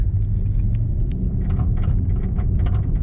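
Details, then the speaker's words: 2004 Nissan Sentra driving over bumps: irregular metal-on-metal clunking rattle from the front end over road rumble, from worn front lower control arm bushings; both lower control arms to be replaced. "you hear it kind of like a clunking rattle noise trying to hit some bugs but basically it kind of sounds like metal metal contact"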